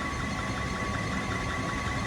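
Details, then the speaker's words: Liebert unit in a server room: a steady blower rush with a thin chirping, squeaking tone as the blower belt slips, from bad pulleys or a loose belt. Airflow read about 1106 ft/min before the belt was tensioned. "now you can hear a little chirping sound from that belt, a little squeaking sound, but see that? The belt's slipping either because of bad pulleys or because the belt's just loose."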